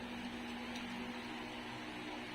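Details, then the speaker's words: Household wall fan after reconditioning and lubrication, reassembled and tested on a jig; steady even hum with low constant tone, the earlier propeller rattle is gone, blade clears the grills and shaft play is fine. "Mukhang tama yung aking diagnosis, ah. Ayun, wala yung ingay, oh."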